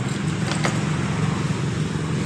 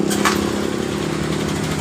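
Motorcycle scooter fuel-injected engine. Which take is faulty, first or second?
second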